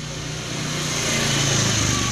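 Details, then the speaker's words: Honda Spacy injection scooter with a rough-noise complaint: engine runs with a rough, droning hum and hissy whir from worn final drive bearings; gear ratio 12T/51, leaking oil noted; fixed by replacing the final drive bearings. "nah sore ini kita kedatangan tamu motor Spacy inject dengan keluhan suara kasar itu cek terlebih dahulu bagian gardan sama bak CVT"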